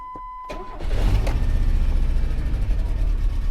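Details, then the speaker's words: 1997 Chevy S10 2.2 four-cylinder, just after fuel pressure regulator replacement and fuel system purge: brief crank, catches at once despite expected air in the lines, settles to steady even idle; no fuel leaks or smell. "that thing fired right up actually like it fired right up"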